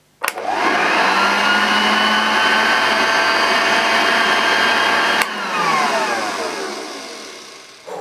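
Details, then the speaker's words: Unused 1975 Hoover Junior 1346A upright vacuum, first motor test after 40+ years, belt off so agitator not turning: motor spins up fast to a steady even hum with clean whine, winds down smoothly at switch-off; healthy. "it's going to sound different because there's no belt the agitator isn't rotating that's obviously going to change the sound level"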